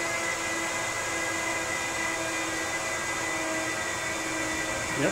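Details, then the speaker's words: Apple Xserve salvaged from e-waste, upgraded with an SSD, at startup after power button press: loud, steady high-pitched fan roar with constant whine, no grinding or ticking; normal fan noise. "definitely sounds like a server to me"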